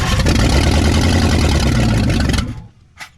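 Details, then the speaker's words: 1959 Ford Galaxie Fairlane 500 352 V8, first start in years after being flooded: it catches and runs two seconds with a lumpy, uneven, loping beat, then dies; rough running, timing adjustment planned. "we're gonna we're gonna adjust on the timing a little bit and see if we can make it run a little better"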